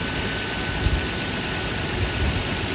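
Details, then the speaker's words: Nissan Cima Y33 VQ30DET idling just after alternator replacement (350Z unit), belts aligned: even, low idle with steady hum and no high-pitched whine that the failed alternator made; healthy. "It sounds normal. Before, when my alternator died, it's going on really high pitched."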